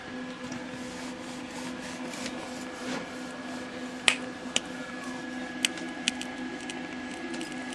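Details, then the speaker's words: Arcing power switch sizzling with faint irregular crackling snaps over a steady low hum on a late-60s/early-70s Packard Bell MQ625 portable black-and-white tube TV with Panasonic chassis; rectifier 146 V, but 0 V on horizontal. "switch you can hear it sizzling the power search Dos the filaments too"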